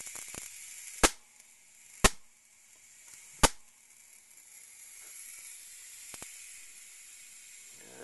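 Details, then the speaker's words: Zenith 25MC36 TV after swapping the high-voltage rectifier tube for a solid-state rectifier: three sharp arcing snaps about a second apart over a faint steady corona hiss; high voltage appears much higher, or HV regulation not working. "It appears the high voltage is much higher with the solid state rectifier, or the high voltage regulation's not working."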